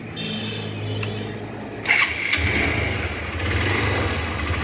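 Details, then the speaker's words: Hero Impulse 150 single-cylinder motorcycle after full engine rebuild with new gear pinion, clutch plates and block kit: starter whirr, engine catches and settles into even idle with a light blip; running smoothly. "শুনতে পাচ্ছেন গাড়ির sound একদম smooth হয়ে গেছে।"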